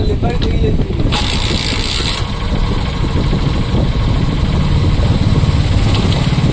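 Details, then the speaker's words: BS6 Hero Super Splendor/Glamour, about 4,014 km, after fixing a khar-khar noise from the kick-shaft pinion by raising its stopper plate: even, steady single-cylinder putter with no rattle or scraping; normal idle. "দেখো এবার কিন্তু গাড়ি কাজ করার পরে কিন্তু এই আওয়াজটা নেই।"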